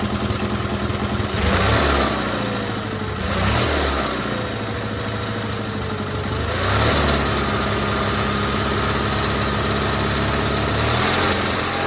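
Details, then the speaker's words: GT/18 twin after ignition rebuild: pulls cleanly through three quick revs, settling back each time, no misses or popping; runs better than before, carburetor still needs tuning. "Runs a lot better than it did, I think. After we tune it, she'll be good to go."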